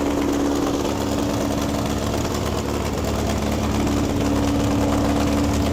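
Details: 1961 VW Beetle barn find air-cooled engine, running its best yet after clutch and gear trials: steady chatter with an even rhythm and a faint whirr on top, no stumbling. Normal idle.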